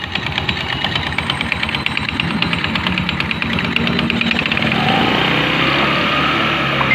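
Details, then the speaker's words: Rusi Fashion 125 scooter noisy from the CVT side on first start: quick, uneven slapping and ticking at about three a second over idle from a slack, worn drive belt; replacing the belt should remove the noise. "na ayan guys yung belt niya masyadong maano magalaw yung belt yan kaya maingay yung ano niya pero ni mo na mawawala na yung ingay niya"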